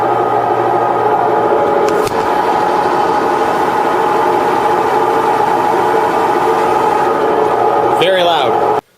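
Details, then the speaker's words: Kenmore Elite front-load washer, about 18 months old, at high-speed spin: steady loud droning roar with a hum underneath; worn drum bearings suspected. "on the high speed the spin has gotten very very loud it's due to the bearing wearing out on"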